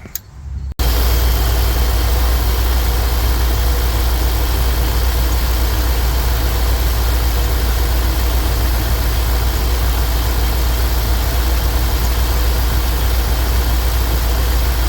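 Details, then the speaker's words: Junkyard 1993 Chevrolet K2500 with 350 V8 after swapping junkyard 350 throttle-body injectors for wrongly fitted 454 injectors: low idle rumble with slightly uneven, loping beat right after starting; rough cold idle, owner suspects plugs fouled from running rich. "So, I moved the truck into the garage and I got it running, but it does kind of run kind of a bit rough right after I start it up."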